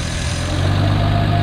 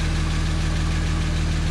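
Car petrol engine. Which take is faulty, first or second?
second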